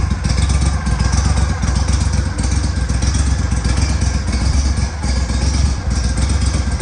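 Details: Boat engine with power trim that had metal in its pump and exhaust leaks that were fixed: deep, steady throbbing rumble with even firing and no puffing or ticking from the exhaust; running normally.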